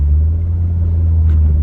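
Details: Toyota with VVTI 1JZGTE, shift-kitted high-stall A341 auto, about 235 rwkW, on standard IS200 7.5-inch open diff with 4-bolt shafts: deep steady rear drone under acceleration, like dry CV joints; owner suspects driveshaft or diff.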